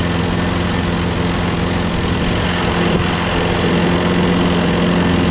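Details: Craftsman lawnmower, Briggs 6.5HP Quantum engine, after carb clean, new starter, battery and magneto, electric-started: steady even beat without misses, knocks or surging; runs cleanly.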